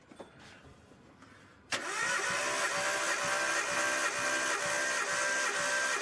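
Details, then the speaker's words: Compression test on reportedly freshly rebuilt Nissan Skyline RB20DET; even starter cranking about four pulses a second, each stroke alike, cylinder reading 190, lower than another cylinder but still high; compression good. "It's getting up there. It's not as high as the other one, but it's still high. Yeah, it's at 190."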